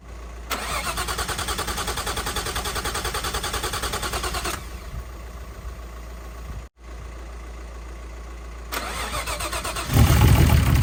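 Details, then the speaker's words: Nissan R33 Skyline, freshly built forged RB25 engine, first start on running-in oil: steady cranking at roughly three turns a second that never catches; no start because the spark plugs weren't firing, fixed by swapping in old plugs. "it was a spark plugs that's what that's why we're cranking it just turning over and it wasn't firing change the spark plugs for some old ones"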